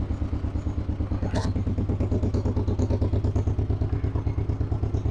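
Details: 1958 John Deere 420W two-cylinder, just jump-started after about a year unused; it stumbled slightly while the cables were unhooked. Now a slow, very even putt-putt of about three beats a second with no misses or knocks as it warms. Normal idle.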